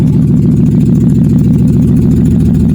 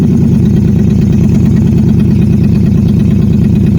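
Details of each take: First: Nissan Xterra after crank-no-start, no-spark repair (ECM reprogrammed, camshaft sensor replaced, cam code gone): steady, even low hum at idle with no misses, knocks or odd noises; healthy smooth idle. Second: Nissan Xterra with crank-no-start, no-spark fault, after installing a replacement camshaft sensor: steady, slightly uneven idle; cam sensor fault code still shows, so the sensor is judged bad.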